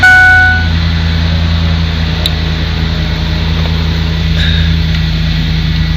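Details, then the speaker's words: Van engine after mass airflow (MAF) sensor cleaning: short crank, catch, then smooth steady idle with no misses or knocks; runs cleanly. "That sounds nice."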